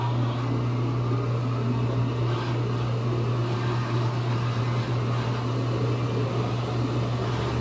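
A smooth, even low hum holds steady throughout with no knocking or scraping, which is a washer spinning normally.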